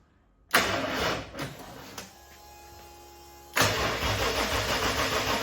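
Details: RB30 turbo converted VN Commodore, first start after self-wiring, manual ECU on automatic loom: starter cranks in uneven bursts with pauses but never catches; battery seems low and no oil pressure yet after engine sat upside down without oil. Cause unconfirmed.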